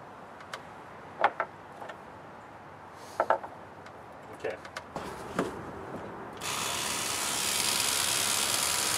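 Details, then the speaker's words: Drozd 2011 BlackBird with upgraded magazine, run on a battery stack with a fourth battery added: a few clicks, then the motor spins into a strong even whirr, cycling much better than before. "Hear that cycle? It's much better."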